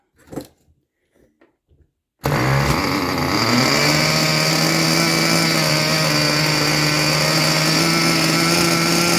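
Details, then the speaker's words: Junkyard Mutt nitro engine on a break-in stand, first start with the shroud off: after a few pulls it catches into a steady, buzzy high drone, slightly soft and blubbery; running rich, needle seemingly set very far out. "It's rich, but boy, did that thing sound not bad at all."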